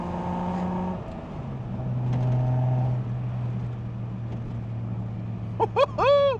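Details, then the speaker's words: 1973 Datsun 240Z, back on the road after 2+ years, low on gas; engine note drops at a gear change then holds a steady even drone under acceleration, no knocking or rattles; sounds healthy. "Stretching its legs a little bit, man. Sounds good."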